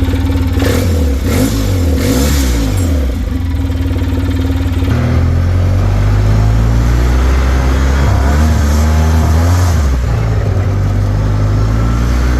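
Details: 2007 Polaris Ranger 700XP after swap to a used replacement engine (old one knocked), new motor mount, blue 1,000 rpm clutch spring: engine picks up cleanly through several blips and settles evenly, no knocks or rattles; normal running.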